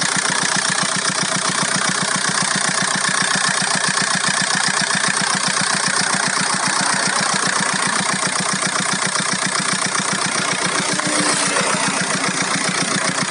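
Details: VW Golf 4 1.9 TDI 115 4Motion diesel at idle: sharp, very regular ticking about two and a half times a second over the clatter; owner hears a strange engine noise, source undetermined.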